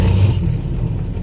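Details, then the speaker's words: 1959 Cadillac Sedan DeVille V8 cold start at about 20 degrees: deep, uneven rumble with a ragged, puffy exhaust note from an exhaust leak. "probably hear that exhaust leak"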